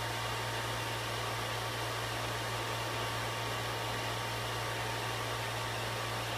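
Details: PS3 Super Slim, even on cold startup: constant loud rushing air like a hair dryer with a low steady hum underneath; the cooling fan runs far too loud.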